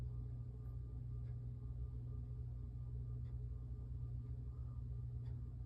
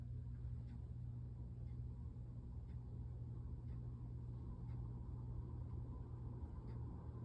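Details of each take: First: 52-inch Hampton Bay (Air Cool) Windward four-blade ceiling fan, made March 1992, on low speed. The motor gives a low, steady hum with a faint electrical buzz; the owner considers it a minor hum. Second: 52-inch Hampton Bay (Air Cool) Windward four-blade ceiling fan, made March 1992, running at medium speed. Steady low hum and an even whoosh of air with faint ticks; a slight wobble comes from warped blades. A good, normal medium speed.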